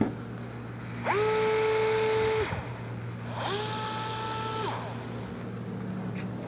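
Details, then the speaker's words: DeWALT DCF682N1 gyroscopic electric screwdriver, microphone held close: two short bursts of a clean, steady motor whine winding up and down evenly with no rattle, very smooth at low rpm; healthy motor. "teman-teman bisa dengar ya naiknya saya deketin pada saat kita menekan tombol ini dia belum berputar tapi ada getaran di dalam"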